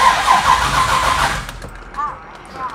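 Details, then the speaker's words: Car with FiTech EFI throttle body, hard start especially warm: long steady cranking with no catch, then sputtering; EFI unit powering the distributor loses switched power while cranking. "notice it just cranks and cranks so it probably takes me two or three times to do this and it starts to sputter i'll even key off again i can hear it the throttle body squirt and then it finally starts"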